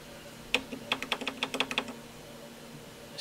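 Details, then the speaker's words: Advantest R6581T 8.5-digit multimeter with dim display: about a dozen sharp relay clicks in quick bursts as it tries and fails to auto-range, falsely showing overload; fixed by battery replacement and internal calibration. "that clicking trying to Auto arrange and it can't do it so that's the other problem I need to look at"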